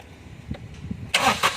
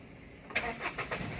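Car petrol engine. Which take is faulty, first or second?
second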